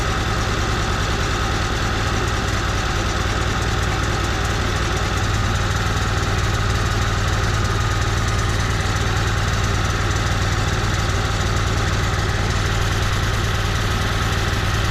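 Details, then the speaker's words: Onan 5500 motorhome generator, about 12 years old, just started before carburetor cleaning: steady drone with faintly uneven lumpy pulse; rough idle, also dies after starting and occasionally backfires; owners suspect gunked carburetor. "So we've been having some issues with our generator. It's been idling rough, and sometimes when we go to start it, it'll run for maybe a second and then it'll just die"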